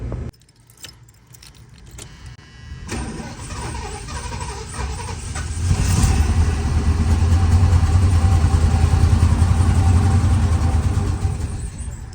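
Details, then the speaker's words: 1977 Lincoln Continental Mark V V8 after three years in storage, new battery, fuel just reaching the filter: starter cranks, engine catches and roars a few seconds, then sags and dies. Fuel starvation stall. "As you can see here, fuel filter is finally starting to get fuel going through it. I think another start or two and it should continue running, but my biggest concern is I don't want to drain the battery, but we'll give it a couple more tries."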